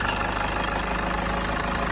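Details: 2012 Toyota Kijang Innova G diesel, manual, first owner, engine bay open, idling with AC on: steady even light diesel clatter, no knocks or misses; valves and combustion judged normal, healthy idle.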